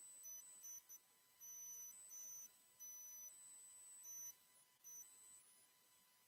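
Faint, thin high-pitched whistle tones switch on and off irregularly over near silence, the electronic squeal of an interfering microphone.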